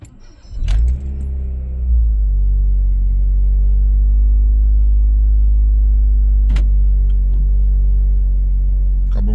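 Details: Honda Fit with complaints of engine noise and idle speed swinging at stops, started cold on the first try: quick crank, catches, then settles into an even, steady cold idle with no knocks or misses.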